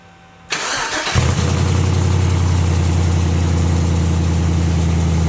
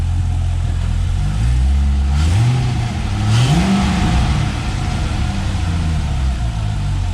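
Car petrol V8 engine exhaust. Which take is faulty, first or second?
first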